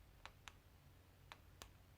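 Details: Peugeot 307 key fob after replacing the button switches (two fitted): four crisp, sharp clicks in a quiet room, in two pairs about a quarter second apart; the new switch contacts snap cleanly, normal.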